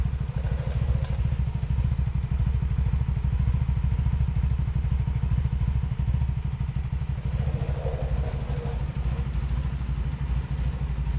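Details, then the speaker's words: 2002 Honda Magna VF750C, plugs gapped to spec, one cylinder running cold while others hot: low uneven idle with occasional skipped, popping strokes on one side; misfire, cause not yet found, new wires already inspected. "hear it a little popcorn popping popping on that side"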